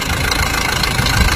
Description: this video shown the reason in squeaking sound of the engine. the sound is came from the front part of the engine. this squeaking sound problem is came from between the engine belt and the pulley or tensioner.